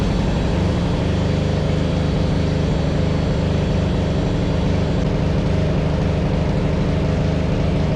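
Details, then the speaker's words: Yard Machines 638 RL riding mower after new carburetor, drive belts and spark plug, warming up before oil change: steady, deep, even engine drone at constant speed without stumbles or knocks; normal running. "I'm going to turn it on, let the engine warm up, and then I'm going to change the oil."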